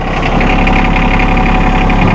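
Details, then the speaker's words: A 2016 John Deere 2025R compact diesel tractor (24.2 engine hp, two-range hydrostat), started in neutral with the PTO off. It starts right up and holds a steady, even diesel clatter at idle with no misfire or odd knocking: a healthy engine. "he'll jump up here fire it up and we don't have it in range you got to have this in neutral PTO off starts right up man rayji 34 here"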